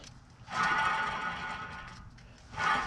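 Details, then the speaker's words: Front wheel hub bearing turned by hand with caliper, bracket and rotor removed: wavering, whinny-like squeal in two bursts over a rough scrape where it should be silent; bearing judged bad, sounds dry and worn. "It's supposed to be solid. You ain't supposed to hear no noise."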